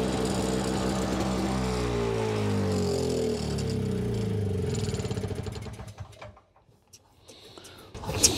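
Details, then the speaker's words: Simplicity 520 single-stage snowblower (5 hp, 20 in), second start on choke: engine runs at a steady beat, then bogs and slows almost to stalling when the auger drive is loaded; owner suspects the carburetor. "seems like maybe we got to go in the carburetor a little bit cuz you put a load on it and it just slows down"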